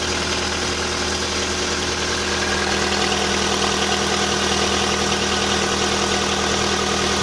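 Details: VW Polo sedan, CFNA engine, 193,500 km, started cold at −30° with the clutch pressed. At idle there is a fast, fairly even light ticking from the hydraulic lifters and no piston knock.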